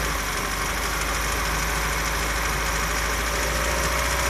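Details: 2003 Ford Fusion 1.4 Zetec petrol on 5W-30 oil, idling: light, fairly quick ticking through the hum from the belt end of the engine; auxiliary drive belts and water pump ruled out, cause unknown.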